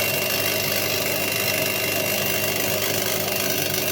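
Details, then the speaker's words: Candy washing machine showing error E08 (motor rotation or tachometer fault), back panel off, mic near the motor, empty drum spinning: steady whir under a harsh, uneven crackle and fizz; carbon brushes suspected of arcing. "Et là je vais me rapprocher un petit peu et je pense qu'on va bien entendre les étincelles des charbons. En tout cas, il y a un bruit anormal dans le moteur."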